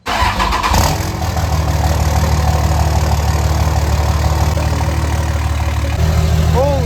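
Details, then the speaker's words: Cheap Cummins diesel truck with axle-dump exhaust, cold start outside the garage: short crank, then catches and settles into a deep, loud, even rumbling idle with smoke; healthy start. "smokes guys now she sounds like a com that thing sounds mean"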